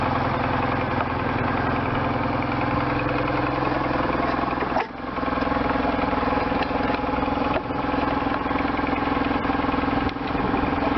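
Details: 1998 BMW R1100RT boxer twin, first run after restoration, throttle bodies not yet tuned; even, slightly lumpy beat of about 160 pulses a minute holding steady, idling normally on both cylinders.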